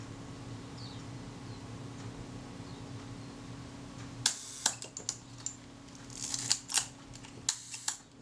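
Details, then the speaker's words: During servicing of a camera body sent in for a shutter-cocking rack, after adjusting the unusually tight film release lever screw: each press gives a light film-release click, then a sharper shutter snap, over a faint fan hum. This is a normal shutter release sequence. "let me try again now i'm listening to here see if i hear the film release clicking before i get the shutter release"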